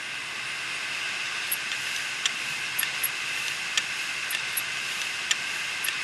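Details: Western Digital 500GB external USB hard drive, damaged after falling over. A steady high hiss of the spinning platters with scattered irregular ticks and scrapes; the heads have crashed onto the platters.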